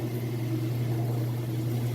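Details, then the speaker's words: Used Kenmore top-load washer in excellent condition, spin cycle up to speed: even, steady low hum at one pitch with no knocking, thumping or scraping; balanced and level, not hopping, water draining properly. "You can hear all of that working great. Now it's up to speed on the spin cycle, so I'm going to pop the lid open."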